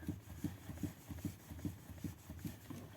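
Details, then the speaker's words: Renault Megane 3 Scenic on rough gravel road, phone on steering wheel, after reseating the steering intermediate shaft (cardan) joint: dull, soft muffled thud repeating two or three times a second; knock not gone but now barely audible. "Ну сказать по правде стук не ушел но он стал его практически стало не слышно как [смех]"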